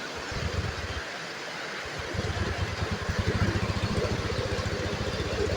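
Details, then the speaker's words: Honda BeAT Pop scooter engine after rebuild and ECU reset: starts easily and settles into an even, steady putter with no knocks or rattles, healthy normal idle. "Oke motor hidup normal hidupnya mudah ya teman-teman"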